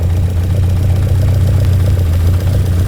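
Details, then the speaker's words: 1966 Lotus Elan during carburettor tuning by ear: a deep idle with a slightly uneven pulse and faint hunting. The carburettors are out of balance, with the front carburettor still not contributing enough. "Yeah, we're still not getting enough out of this front carburetor. Just gradually listening, adjusting."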